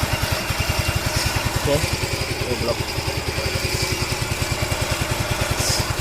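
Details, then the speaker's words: Yamaha Ego Solaris scooter after replacing cylinder block and cam bearing for rough engine noise: steady even putt-putt about three and a half beats a second, no knocks or rattles, quiet healthy idle, no white smoke. "Okey hidup macam biasa. Alhamdulillah senyap. Mantap. Kita just tukar bearing cam dan blok."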